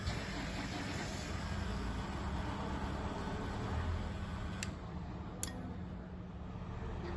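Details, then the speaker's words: BFT Virgo Smart swing gate opener with articulated arm, after remote tuning and auto-set, closing via remote: low, even motor hum through the whole stroke with no knocks or strain, drawing minimal torque; running smoothly. "i'll close the gate it's using very minimal"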